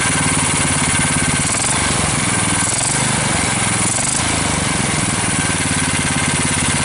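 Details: GX390 420cc engine after an ATV carb swap (custom painted intake manifold, cleaned carburetor, new air filter, choke cable, four-wheeler thumb throttle, battery start) catches and settles into a steady, even, throaty run with no misses, knocks or surging; running healthy.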